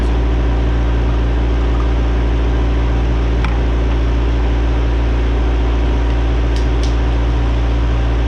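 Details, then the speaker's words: Cheap old Ford Ranger after unsticking injector and new fuel tank, pump, tune-up, warming up with temp creeping up and oil pressure showing: deep smooth even idle, no misses or ticks; running excellent. "i don't know where that came from but uh i'm less concerned about that because this thing is running excellent"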